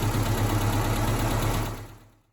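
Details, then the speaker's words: Mazda B2000 truck idling after a #2 rod knock fix. Valve train is adjusted to spec. Even, steady low idle thrum with a light regular tick over it before shutdown; the tick is normal valve train noise and the engine is healthy. "Um, did you do hear some ticking? That's the val train. Uh, ignore that. Just what these things do."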